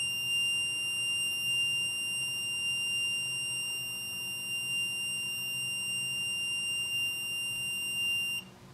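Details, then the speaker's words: MPJA 35716 MP battery low-voltage alarm module during set-point adjustment. A steady, piercing buzz holds for about eight seconds, then stops; it keeps sounding until power is removed or the voltage rises above the set point: low-voltage alarm. "like I said it will keep keep keep keep ringing keep playing buzzing until it is it powers either removed or it's above the set point"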